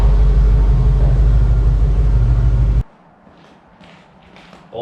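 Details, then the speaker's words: Restored Ford F-150 pickup, started with more than two gas-pedal pumps: deep fairly even rumble at steady idle, no knocks or misses, then shut off; fired right up and runs fine. "definitely it took two more than two pumps of the gas pedal but it did definitely fire rate up"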